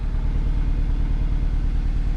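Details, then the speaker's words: 2009 Nissan Versa 1.8L SL at idle: rough, lopsided, lumpy idle, sounding like it runs on only 3 cylinders; cylinder 4 misfire code stored with no check engine light at first, caused by a failed cylinder 4 coil pack. "you can hear it's sounds like it's only running on 3 cylinders right now."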